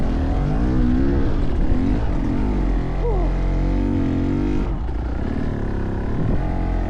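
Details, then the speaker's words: 2023 Beta Xtrainer 300 two-stroke dirt bike that idles but dies with throttle, labouring on an uphill climb with heavy clutch work to keep it running; low, uneven pitch sagging and wavering near stalling; engine bogging under load. "The bike was constantly trying to die. I had to work and grind that clutch so much just to keep the bike running."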